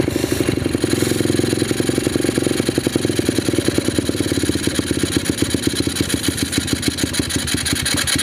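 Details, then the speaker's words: Apollo RFZ 125cc pit bike at low rpm before the carburetor pilot screw fix: a ragged, uneven putter that stumbles and won't idle. The owner suspects an air leak at the intake spacer, unconfirmed. Rough low-rpm running. "Right now we're just kind of diagnosing why this thing runs like crap in the low end, doesn't idle. I think it has an air leak at the intake spacer."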